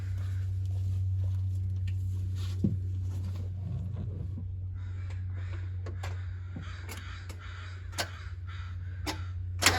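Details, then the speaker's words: 1990 Mazda Miata, just started: holds a steady, even idle with no hunting yet; it starts normal, then after running a bit the high idle begins surging up and down. "There she goes. It starts out normal, and then after it runs for a little bit, it'll start idling up and down."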